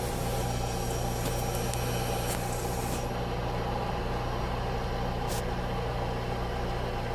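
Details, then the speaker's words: VW Fox 1.0 VHT, warm engine after repair: steady, even run with a faint constant electric whir from the fuel pump underneath. The earlier pump noise is gone; normal fuel pump hum. "Ruído normal dela aí de funcionamento, né? Que é esse barulhinho do motorzinho elétrico. Tudo ok."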